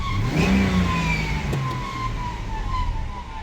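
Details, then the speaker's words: 1998 Ford Explorer sat five years, after fresh fluids and cleaning the idle control plunger with gasoline, idle now about 1,000 rpm: smooth idle but a sharp squeal rising and falling with revs from the belt drive area; cause still uninvestigated. "Idle is now fixed. You can hear it, it's running really smooth now. It still does have that screech whenever you rev it up."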